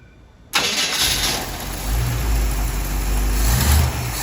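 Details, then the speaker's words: 1969 Camaro 4x4 on boosted weak battery, fresh oil, distributor turned while cranking as timing is way off: silence, then engine catches into rough, uneven lumpy idle; hard start from badly retarded ignition timing. "I'm just gonna turn the distributor till it starts firing because the timing is way off."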